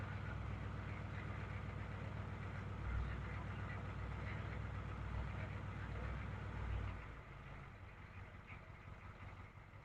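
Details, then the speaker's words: 1972 GMC Jimmy with Detroit Diesel engine, just started after a wait-to-start light: steady, even low diesel chug at idle with clean regular beat, no knocks or misses; healthy, starts easily even after sitting for months. "it smells so good I love the smell of an old diesel listen to that runs like a chop like a top"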